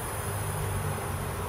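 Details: Amiga CD32 CD drive, recorded close to the drive: rough low buzz with a fluttering, uneven texture as the disc skips. The laser focus balance pot on the drive PCB is set out of its optimal range.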